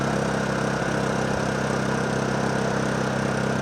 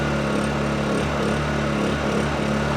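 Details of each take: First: Honda EU2000i generator that only runs with choke on, choke on after new spark plug, warming up before carburetor cleaning; idles unevenly, beat wandering and hunting; rough running. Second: Honda EU2000i generator after carburetor cleaning, choke off; steady, even hum holding speed with no surging or stumbling; running normally, fault fixed.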